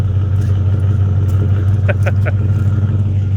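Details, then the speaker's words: 1960 Chevy Bel Air with a small-block 350 and a large cam, idling during warm-up: uneven, loping beat of about three pulses a second, typical big-cam sound; normal lopey idle. "he's sound really good call block 350."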